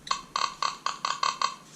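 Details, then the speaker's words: Whites TRX pinpointer switched on beside a Nokta Simplex+ metal detector: rapid, irregular high-pitched chirping, about four per second, from 12 kHz electromagnetic interference; it stops when the pinpointer is turned off. "You hear that chirping? That's electromagnetic interference. 12 kilohertz, 12 kilohertz."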